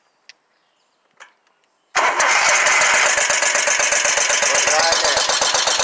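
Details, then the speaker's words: Scag Tiger Cat II zero-turn with Kawasaki FX691V twin, skipping and running on one cylinder: rough uneven beat; flooding with gas, oil overfilled and possibly gas-diluted; number two cylinder pushrod found fallen out; choke suspected stuck. "so that thing is flooding with gas I don't know why but it is so we're gonna have to investigate a little more as we pulled the number two cylinder valve cover off and looky there Mr push rod fell out so that's definitely one issue"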